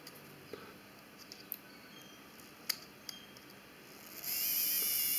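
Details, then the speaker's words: Car LED H7 headlight bulb switched on: faint clicks, then a tiny built-in cooling fan whirs with a loud, high hissing, rising whine; the bulb works but is poorly cooled from a failing fan. "entendez l'ampoule elle marche mais très très mal ventilé que son refroidissement il se fait il ne se fait pas correctement le ventilateur il est en défaut"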